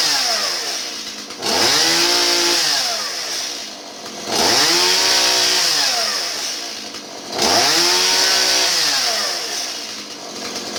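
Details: Stihl 017 chainsaw that bogged down, after retrofitting adjustable non-EPA carburetor in place of non-adjustable EPA carb and adjusting mixture: revs cleanly three times, returns to steady idle, no bog or stumble; normal running.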